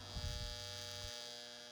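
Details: Marx 666 toy train locomotive, neglected and smoke-damaged, first powered up. A steady electrical buzz with a thump and no sound of the motor turning; the motor is energised but not running, and a stuck E-unit is suspected.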